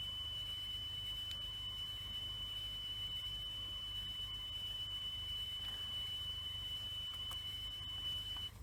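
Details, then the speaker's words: Panda W10i cassette deck after fitting new sample belts, playing test tone: steady high tone with only slight wavering over soft mechanism hiss; wow seems improved but tape speed is a little out. "Uh speed is a little bit out."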